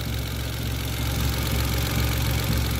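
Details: Mitsubishi Mirage G4 sedan after fixing a no-start from a locked throttle body stepper motor and dirty spark plugs, with no trouble codes. Steady, even low idle, smooth hum, no knocks, ticks or hunting: normal idle.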